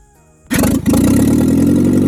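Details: International Scout 800 junkyard rescue, engine unstuck and carb tuned with new fuel: quick crank, then fires and settles into a strong, even idle with no misses; engine now running well, normal.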